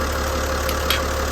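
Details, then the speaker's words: Hatteras boat diesel after new and rebuilt injectors, new crush rings and a reassembled fuel system with the return line tightened: a steady low idle with an even beat and no knocks or misses; runs smooth, and the earlier oil leak is gone, though cylinder six still leaks. "See what happens. She's firing, she's running. Nice and smooth."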